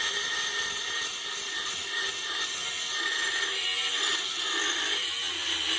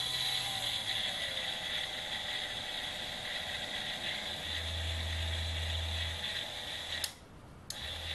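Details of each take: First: Banggood 220V 72W micro rotary tool at maximum speed with an oversized 75 mm cutting disk: steady high whine holding speed through the cut without bogging; normal cutting under load through reasonably thick stock, motor stayed cold afterward. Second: Banggood 220V 72W micro rotary tool, permanent-magnet DC motor with reduction gearbox (probably planetary), large disk fitted in chuck: high gear whir with rapid ratchety rattle, quite a bit of vibration, not smooth; smoother in forward rotation.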